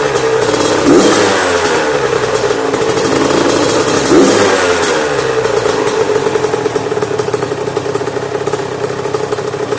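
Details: Yamaha YZ85 two-stroke after top-end and water pump rebuild and clearing a mouse nest from the exhaust header, break-in with no load: crisp buzz rising and falling through alternating throttle blips, no misfire or bog; healthy.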